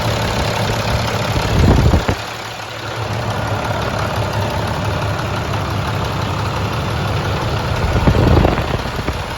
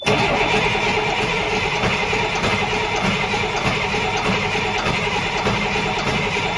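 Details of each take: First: Rebuilt International 466E diesel truck engine at first start after rebuild, after it had died once and been restarted; steady, even idle with a firm low rumble, no knocks or misses, no oil or water leaks seen, sounds healthy. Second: Rebuilt International DT466E diesel, second start attempt after rebuild, dry oil system: long rough cranking with uneven half-firing chuffs, runs briefly then dies; no injection oil pressure.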